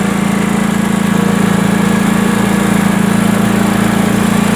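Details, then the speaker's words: Sears Craftsman Honda 42-inch riding mower, after backfiring repair, started on choke: steady, even single-cylinder chug with no popping or misses; running smoothly. "Now with the Honda, you always have to choke it. Choke's down here. You can hear it's running nice."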